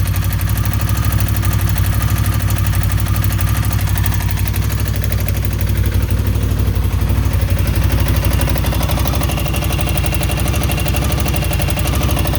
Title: Indian Scout Knocking Noise